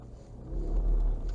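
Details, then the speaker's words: Ford Fusion EcoBoost AWD turning tight under power on asphalt: low throbbing rumble and vibration from the rear drive system, only when pulling, during maneuvers and roundabouts; rear differential judder. "Então vamos tentar replicar nosso barulho aqui nesse Pátio aqui de asfalto que é mais fácil tá nós conseguimos ficar dentro do carro ele faz ele faz uma espécie uma espécie de vibração"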